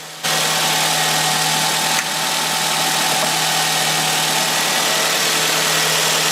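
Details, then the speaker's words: Nissan X-Trail/Teana after replacing the alternator with damaged bearings: even, steady idle with a smooth low tone, the grinding noise gone; alternator output 14.1–14.7 V. Normal idle. "here is the final results and grinding noise has been completely disappeared"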